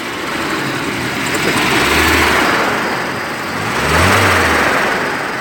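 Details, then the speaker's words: VW Passat B5 1.8 after flushing and cleaning its hydraulic lifters, which had made it sound like a diesel; idling quietly and evenly with two light throttle blips, no lifter ticking or knocking. Normal running. "вот машина стоять заведенная двигатель работает тихо четко излишне строений"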